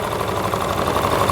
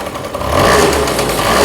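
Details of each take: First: Honda Lead AF20 two-stroke scooter idling right after its first start following an engine overhaul, warming so the auto choke closes, carburetor not yet adjusted: a fast, buzzy rattle from loose front plastic panels vibrating over the idle. Body panel rattle. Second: Freshly overhauled Honda Lead AF20 two-stroke scooter, just after its first start, carburetor not yet tuned: crisp blips rise and fall cleanly with the throttle, with no knocks or rattles underneath. Normal revving.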